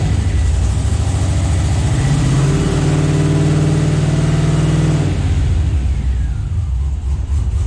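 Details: Scout 80 with junkyard LQ4 6.0 V8 swap, first start: lumpy, uneven idle that stumbles as it revs, with dropped beats, a few cylinders not coming in; owner believes injectors are sticking.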